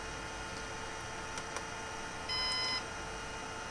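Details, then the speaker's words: Synology DS118 NAS with replacement 3-pin fan in quiet mode: faint fan hum, then a half-second high beep because the fan spins so slowly the unit thinks it stopped; needs a fan matching the original's expected RPM. "device thinks the fan stopped and it's starting to beep. So it's doing the same thing that it was doing with this fan, actually."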